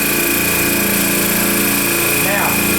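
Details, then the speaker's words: Air Star 30 dual-head oilless compressor running during maintenance check for unusual noise and vibration: steady motor hum with even buzz, no knocks or rattles; vibration is normal for a loose free head. "this is normal vibration for a loose free head don't let that worry you that's normal"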